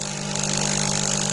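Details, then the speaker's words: Delonghi EC270 espresso machine, first run after disassembly, vibration pump with replacement spring: loud harsh steady mains buzz, no gurgle of water; no water comes out, as the replacement spring is too stiff. "Pour l'instant, il n'y a pas d'eau. On va attendre."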